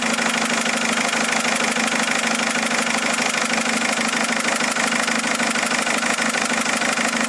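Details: Mercedes A170 diesel after changing 3 injectors: idle with a hard, regular, loud sharp knock on every cycle; knocking at idle, source still unknown.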